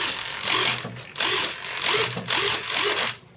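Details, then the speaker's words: Airfield 1400 mm T28 RC plane on the bench, controls cutting out after about 5 minutes of flight, SBEC suspected, about 1 A draw with gear up: five strained, gritty servo runs, then smoke; binding servo. "I got smoke let's turn things off I think maybe I got a servo causing"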